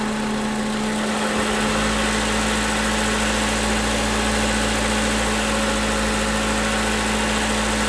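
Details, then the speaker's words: 2011 Toyota Camry 2AR-FE after lifter and rocker arm replacement, fan running: revved to about 1600 rpm and released, then a smooth, even idle with no stumble. "Alright, so as you heard, brought up to 1500. Well, I got up to like 1600. Let it go, and it didn't stumble at all."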